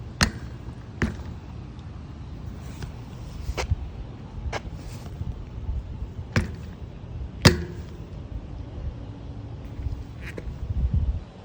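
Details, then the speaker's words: 2020 Canyon Spectral AL mountain bike with RockShox Pike fork, riding: sharp irregular pops and clicks every second or two over faint rolling noise, creaking knock seemingly from the front fork; source unconfirmed, frame also suspected. "Just in the early part of the video, played some popping sounds that I've been experiencing with this bike."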